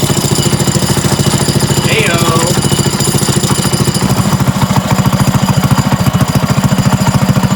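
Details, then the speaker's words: Trike engine pull-started with a little fuel: heavy even knock about 3.5 per second locked to idle; owner unsure if top or bottom end, later found to be the clutch. "okay so I think the knock is still there but it's I'm not sure if it's a top end or a bottom end knock it might be at bottom end"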